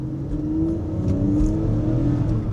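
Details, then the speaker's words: BMW E46 bought as mechanic special, reported thermostat and misfire issues, on test drive; full-throttle pull to high rpm, smooth clean engine note rising steadily with no knocks, misses or rattles; healthy engine, though suspension is clunky. "Very, very smooth acceleration. I think this is a winner."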